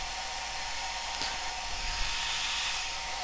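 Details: Cascade DS-925 hair dryer, after crimp repair of a no-heat fault, on low setting with temperature probe reading about 50–60°C: steady even whoosh with constant motor hum, no stutter; running normally and heating again.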